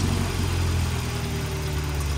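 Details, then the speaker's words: Saab 900 after fixing vacuum leaks and readjusting the throttle sensor; idle air had been overcompensating for a cracked part. Idle used to creep up to about 1500 rpm; now steady just under 1000 rpm, low even rumble with no surging. Normal idle. "okay so usually after we started it up within 45 seconds or so it would creep up it hasn't been running that long yet but it does seem to be it's right under a thousand"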